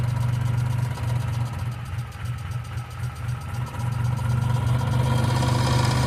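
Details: 1995 Geo Metro idling: a light, regular ticking at about four per second over a steady small-engine idle, suspected noisy valve lifter; B-12 fuel injection cleaner added to the engine oil before an oil change.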